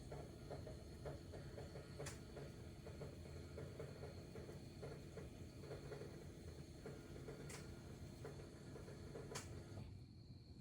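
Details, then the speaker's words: 2024 Ford F-250 6.7L diesel after an oil and fuel filter change, priming the lift pump on about the fifth key cycle: quiet steady pump hum with faint irregular sputtering from air still in the fuel filter, then the pump shuts off. "okay I hear the fuel filter sputtering just a little bit not bad that's five"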